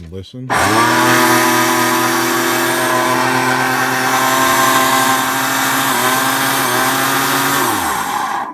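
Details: Hoover Portapower CH30000 commercial vacuum, Ametek 122244 blower motor running up to a loud, rough whine with gritty rasp from a shot motor bearing, usually the front one, from heavy use; bearings replaced.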